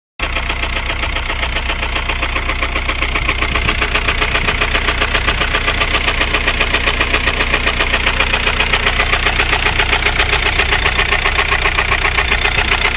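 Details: VW Golf 4 TDI 116 (AJM) diesel at idle: a sharp, regular knock about 2.5 times a second over the diesel clatter, steady throughout; a failed rod bearing, and the engine was replaced.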